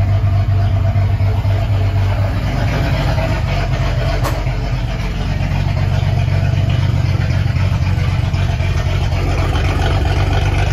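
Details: Ford 300 inline six settling in on first fire-up after turbo header was finished: deep, loud rumbling idle with a steady low pulse through open exhaust cutouts; normal idle with open exhaust.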